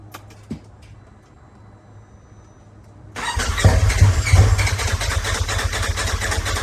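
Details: Turbo S buggy with big turbo, head studs and new injectors: nearly three seconds of quiet, then steady cranking at about three turns a second with no firing. Fuel pump now pumping; owner suspects injector size math wrong. Cranks, won't start.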